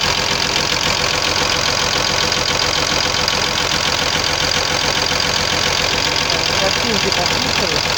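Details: Cummins diesel at idle: steady tapping knock about three per second; knock traced to the connecting-rod small-end bushings.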